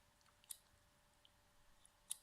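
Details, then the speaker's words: Dropped external hard drive just connected, activity light lit: two sharp clacks about 1.6 s apart over near silence while the platter spins. The head arm cannot read. "I don't know if you hear the little clack clack that is the arm which when you move the reading heads is not able to read and makes the clack clack"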